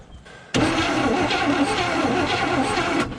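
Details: 1972 GMC one-ton ramp truck with 454 Chevrolet big block and TH400, sitting about 27 years: starter spins the V8 about two and a half seconds with steady churning and no firing; cranks but won't start while checking coil spark.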